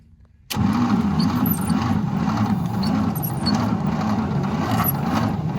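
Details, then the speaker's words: 1953 International L160 truck, parked long, battery with full voltage, checking for spark; low sluggish churning as engine cranks at snail speed without firing, turning over too slowly to start. "okay we can gonna try to get the engine to spin a little faster because it's going at snail speed"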